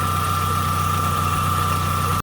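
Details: Chevy Tracker at idle after replacing the idler pulley bearing to cure a squeak: smooth, even idle with a thin steady high tone and no belt or pulley chirp.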